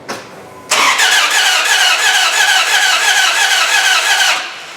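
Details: 4.7 HO V8 (Jeep Grand Cherokee engine in a Dodge Ram 1500), ASD relay jumpered and fuel pump running: quick, even cranking with no firing; cam not turning; sheared cam dowel, jumped cam timing.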